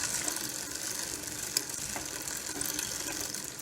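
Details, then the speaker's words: Barracuda dual-suspension trail bike on a stand, chain and gears sprayed with WD-40: light, even freewheel ticking and chain whir as cranks spin, no grinding or catching; drivetrain now running freely and smoothly. "and you get that's working nicely"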